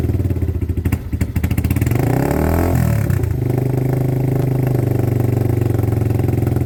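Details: Weathered motorcycle from Wales on its stand, warmed up a minute with clutch and side-stand switches disengaged: engine note climbs smoothly and drops to steady, even idle with no knocks or rattles; healthy.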